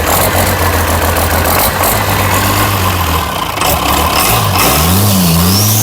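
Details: International DT360 diesel, fuel system just primed with the hand pump: fires and runs evenly, rpm rising and easing off smoothly with no knocks or misses, a healthy engine.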